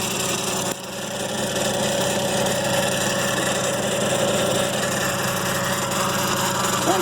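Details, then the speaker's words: BMW 335i ZF 6HP21 transmission, 150K, after rebuilt valve body (Sonnex), new solenoids, pan, filter, 8L fluid: on cold start next day a steady droning hum with faint whine, apparently from the front; gone after 30-minute rest and restart; no codes. "like it's coming from this front end. Definitely wasn't doing this last night or during the test drive."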